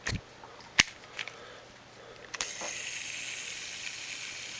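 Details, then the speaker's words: Shimano Citica reel spool freshly fitted with Boca orange-seal ceramic ABEC 7 bearings (FR-008C-OS LD) with no grease: handling clicks, then a smooth, even high hiss as the spool spins freely. This is normal dry-bearing noise. "You're going to hear that noise because there's no grease on the bearings."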